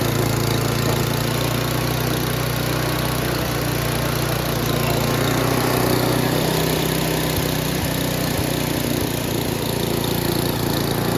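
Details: Noma/Murray Snow King 27" dual-stage snowblower, 9HP Tecumseh, after HIPA carburetor replacement: an even, unbroken drone at full throttle with no misses or surging. Normal running; the owner wants to lower the very high full-throttle engine speed.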